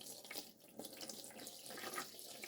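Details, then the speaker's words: Boxio Wash portable camping sink with pump-fed tap and pressure-fit plug: steady, even splashing into the basin with no surging or sputter; good normal pumped water flow. "And as you can see, I can turn it on. And I get quite a good And then by using the pressure fit plug, Okay? I get a good sink flow."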